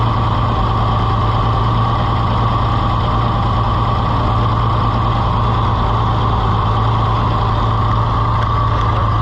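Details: Farmall IH 560 tractor, overhauled and bored about four years ago, timing changed by the owner; a heavy, low idle with an occasional stumble. It is missing on a cylinder; an intake-side cause is suspected, still unknown, and it does not smoke much.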